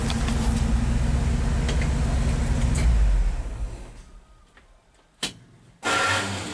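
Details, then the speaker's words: 1970 International 1200 pickup that sat 30 years, now on a substitute carburetor that itself sat almost 10 years, no longer spraying fuel: steady, even low rumble with no misses or knocks, then winds down; smooth idle; slight dead spot under load. "It's not spraying fuel everywhere. Well, let's see if it starts back up on its own. It actually sounds decent."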